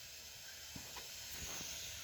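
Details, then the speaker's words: Car overheating with the temperature warning light on and both radiator fans not running; a steady high hiss with faint clicks as hot coolant vents as steam. Radiator fan fuse being checked; cause not yet confirmed. "तो बाकायदा आवाज़ आ रही है steam बाहर निकलने की।"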